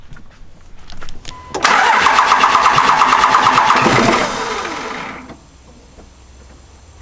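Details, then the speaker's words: 24-valve Cummins second-gen truck, restarting, one battery: steady starter cranking about three a second without firing; AirDog lift pump not kicking on, air in fuel system. "So had a little trouble starting it up, and honestly, it was all my fault. So first issue, turn the key, crank it over, air dog's not kicking on."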